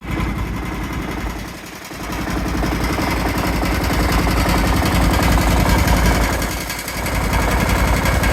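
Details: Kawasaki FH531V-BS06 18 HP V-twin running: loud, uneven rapid knocking about three or four a second over rough running, with shaking, oil leak and loud noises; owner suspects a bent crankshaft, unconfirmed.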